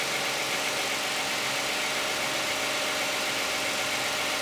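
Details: Cold start of a 2010 Toyota Camry 3.5 V6 with 93,000 miles on Pennzoil Ultra 5W-30 synthetic and a Wix filter: even, quiet idle with a steady hum and light valvetrain tick, no misses or knocks; owner finds it pretty quiet.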